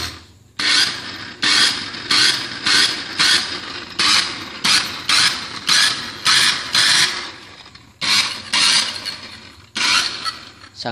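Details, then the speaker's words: Maspion hand mixer, previously opened and makeshift-repaired, switched on and off: short bursts of harsh, raspy high-pitched grinding about twice per second; very rough running, cause not yet found before disassembly. "Sebenarnya mixer ini masih hidup teman-teman namun bunyinya sudah sangat kasar sekali teman-teman dan ini sudah pernah dibongkar dan sudah diakalin ya teman-teman"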